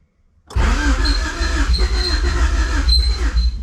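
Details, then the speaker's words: 1990 Honda CRX Si with freshly installed DOHC ZC engine, first start after long disuse, new battery: cranks and catches roughly with a thin, wavering squeak on top; source of squeak unknown. "Oh, I'm getting some squeaking, but I'm getting some start. Let's see what happens. Ooh, I wish I knew what that was squeaking."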